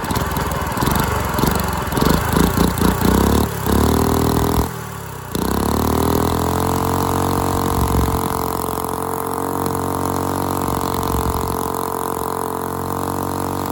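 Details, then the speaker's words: Dumpster go-kart engine with valve parts missing under the valve cover, run unloaded. Uneven sputtering pops as it catches, then an unsteady idle that never settles. Owner suspects timing and probably valve lash; huge rear main leak. "And there we have it. What a turd. Definitely a timing issue and uh probably valve lash issue, but I think I'm just going to toss this in the trash."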